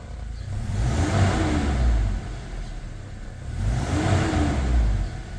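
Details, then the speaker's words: Toyota Fortuner petrol (possibly 2TR) with LPG, after repairing rat-chewed cylinder 2 injector wiring, revving on petrol: two quick blips climbing and falling cleanly, no stumble, smooth healthy normal revving. "เร่งเนียนเลยครับเบื้องต้นเนี่ยหายแน่เบานิ่งเง็นกิ๊บครับไปฟังเสียงท่อไอเสียกันเนียนกริ๊บไม่มีสะดุดแล้วฮะ"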